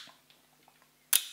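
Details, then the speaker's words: Leica M6 focal plane shutter fired at its top speed of 1/1000 s with base plate and body cap off in a quiet room: one crisp, sharp snap; normal shutter release. "now it's a focal plane shutter so basically you have two two curtains one opens one follows afterwards"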